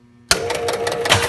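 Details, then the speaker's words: Williams Hotline pinball machine, relay manually triggered: sharp single pop as the solenoid kicks the ball out, then mechanical rattling; normal kick. "that hear that pop that's kicking that that solenoid to kick the ball out"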